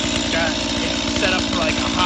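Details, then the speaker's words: STIHL MS 180 C chainsaw on 93-octane synthetic mix, full cold start after sitting overnight on half choke: steady fast two-stroke buzz with even firing and no misses, high idle until a little throttle releases the choke. "starts right up all you do is give a little gas it releases it"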